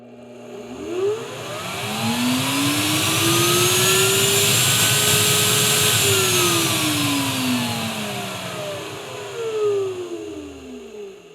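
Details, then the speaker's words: Replacement Mastercraft router in a bench-top router table lift, replacing a Bosch that squealed then quit; smooth whine ramps up on soft start, holds a steady high pitch, then winds down evenly, with no bearing squeal. Runs normally. "Okay, I forgot about the soft start on this. Another feature that I will eventually break."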